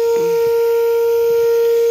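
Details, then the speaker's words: Old Caterpillar engine, shut off after overheating: a loud, steady, single-pitch horn-like tone blows continuously from the radiator along with hot air as it boils over, fading away as it cools. "dito bumubuga ng mainit na hangin m kakit ito yung parang bumubusina sa radiator niya"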